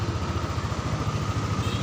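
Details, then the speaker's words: Yamaha NMAX scooter (electric start only, no kickstarter) that arrived dead with a non-working starter system, running once the starter system worked again: quick, even low idle with no misses, knocks or rattles; normal idle. "karena switch starternya sistem starternya elektrik starternya sudah jalan ya jadi motornya bisa hidup"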